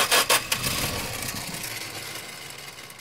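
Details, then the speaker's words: 1970 Dodge Dart slant-six: jumping the starter gives harsh grinding bursts and a fading scrape without turning the engine over; broken flywheel teeth suspected, though the car was later found not to be in park. "It tried firing up. What's the deal here? Sounds like teeth are broken up on that flywheel."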